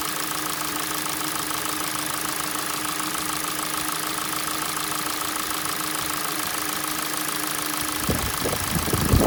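A light, fairly quick tapping knock over a cold idle with a thin whine in the background; it is a cold-start knock, cause undetermined.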